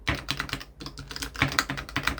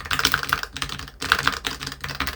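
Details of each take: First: AliExpress all-button leverless arcade controller with one corner rubber foot removed: rapid button clicks, each with a hollow knock as the case rocks on its uneven metal corner screws; with all feet fitted it is stable. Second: Budget AliExpress all-button leverless arcade controller: crisp, quick button clicks in short bursts, each ending cleanly with no rattle while rubber dots sit on the corner screws; removing a dot makes it rock and rattle.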